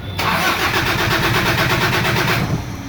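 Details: 2013 Toyota Hilux; steady, even cranking at a quick regular beat for over two seconds but the engine never fires or picks up; cranks, no start.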